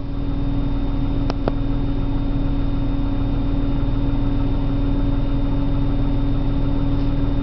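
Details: 1997 BMW 328i on a cold morning start: low, uneven shake with a faint wavering rhythm under a steady hum; rough idle.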